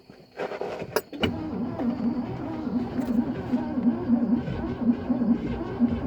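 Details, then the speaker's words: 1964 Cadillac Fleetwood on temporary fuel supply after plug and plug-wire changes: engine sputters and runs unevenly, barely holding on with a ragged, wavering note; sounds fuel-starved, owner says the carburetor needs rebuilding; it tried to run on its own. "but hey guess what guys it freaking runs I need that carburetor rebuilt oh my gosh it tried to run on its own guys"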